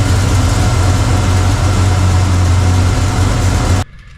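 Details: 1985 Chevy C10 pickup with Blueprint 350 V8 that diesels at shut-off: deep, lumpy idle with an irregular loping beat, then it cuts out, running rough with distributor timing turned the wrong way while timing and vacuum are being adjusted toward about 10.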